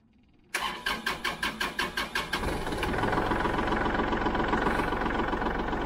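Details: Kubota L3901 diesel tractor after 400-hour service with fuel filter change and fuel system bleeding: a dozen quick cranking beats, then catches and settles into a steady, even idle with no stumbling; healthy start.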